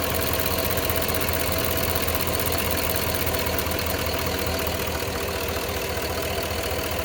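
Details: Cadillac Escalade Hybrid with Vortec 6.0 at idle: light, fast ticking at about 2–3 per second, drifting in and out, seemingly from the driver's side bank. Owner wonders if it is the injectors; unconfirmed.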